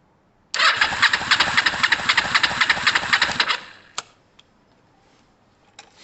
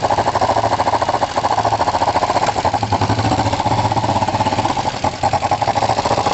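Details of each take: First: Kawasaki ER-5 twin, left cylinder compression test, cranking with throttle wide open. Brisk, even cranking at about four beats a second for three seconds, reading 174 against 176 on the right: strong, balanced compression, valves OK. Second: Kawasaki ER5 twin after a compression test and carb float height adjustment: uneven running with irregular sharp pops and intake spit-back breaking through the exhaust beat; the closest it has been to running well, and the carbs remain suspect.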